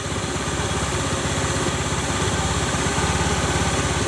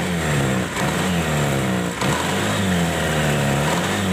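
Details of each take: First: Honda automatic scooter (Beat/Spacy/Scoopy/Vario type) after grinding the bent rear CVT shaft end that caused harsh noise; steady single-cylinder idle putter with no grinding or rasp from the belt drive: CVT noise gone, normal idle. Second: Honda automatic scooter (Beat/Spacy/Scoopy/Vario type), kick-started, rear CVT: revs with a rough gritty kretek noise riding on the drive sound, quieter after first grinding; worn, previously ground CVT shaft end, not yet fully smooth.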